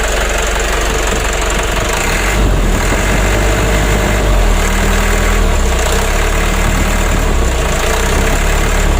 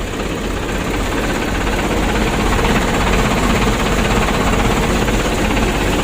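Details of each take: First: Mitsubishi 120 PS Ragasa diesel after nozzle service, injection pump plunger adjustment and replacing both engine mounts with genuine parts, light throttle. Steady even diesel rumble with no knocks or shaking pulses; engine and cabin shaking fixed. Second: Mitsubishi 120 PS Ragasa diesel, morning cold start after slightly long cranking: uneven idle with shake and clatter about two beats a second under heavy rumble, vibration reaching cabin; mechanic attributes partly to age, cause unclear.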